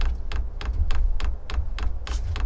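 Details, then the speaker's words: 24 V 8 kW all-in-one Chinese diesel parking heater, dosing pump priming the fuel line and purging air bubbles: crisp, evenly spaced ticks about three a second with a soft low thump; normal. "you can see the pump purging out the air bubbles in the line there so it is uh trying to deliver fuel into the heater right now"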